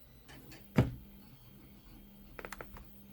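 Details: Philips Azur steam iron that would not heat up, plugged in: one sharp click as the plug goes in, then quiet; the mainboard relay switching power to the heater as it should. A missing click would mean a faulty relay.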